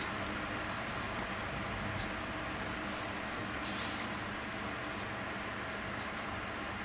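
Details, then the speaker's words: PC case heard from the front with the panels off, new Corsair AF120 top fans on a Phobya splitter. A quiet, steady airy hiss with a faint hum and no rattle; a bit louder from the front, front fan nearly silent, expected to settle. "It is a wee bit louder, but it's not. Once the panels are on, when that front fan's making virtually no noise."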